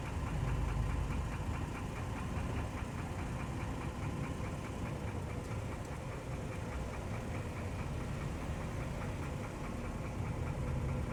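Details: 2003 Mercedes E320 W211 with M112 petrol V6 idles with a steady, quick knock of about three to four beats a second; the timing chain tensioner was replaced recently, and additives didn't help. Cause unknown.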